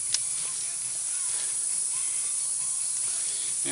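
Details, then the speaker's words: Troy-Bilt Horse riding lawnmower tire punctured, located and being cleaned out for a Slime plug repair: steady high-pitched hiss of air escaping from the hole, confirming the puncture location. "of course now we can really tell where the hole is at as we can hear it hissing"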